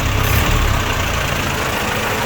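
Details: Forklift FD18 with Isuzu diesel engine, freshly cleaned and tested, battery charged: loud, steady low diesel idle with an even beat and no knocks or misses; healthy running engine.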